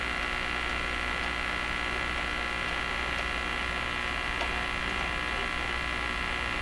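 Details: Hallicrafters S-38D receiver under investigation for out-of-band images and local oscillator radiating out the antenna: constant hum under a steady high whistle and hiss, unchanging; cause unconfirmed.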